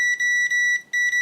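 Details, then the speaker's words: Continuity test on a pocket multimeter (ANENG AN101, Uni-T UT120C or Victor VC921): loud, clear, high-pitched buzzer in short repeated bursts. The healthiest-sounding buzzer of the three; the other two are quieter and higher pitched. Normal continuity beep. "And these two, it's quite a bit quieter. Can you hear that? It's kind of higher pitched and a lot quieter."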